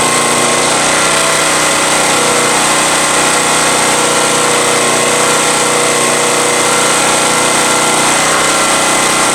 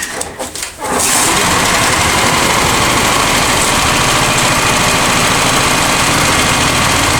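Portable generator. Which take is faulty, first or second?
second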